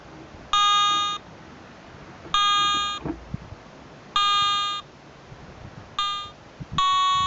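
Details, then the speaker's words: Garrett ATX metal detector on a beach, 30-second automatic frequency scan: steady-pitched beeps about half a second long every two seconds, rising in tone near the end of the scan. Frequency scan tone. "You'll hear the audio start to increase in tone, and that's when it's nearing the end of its scan process."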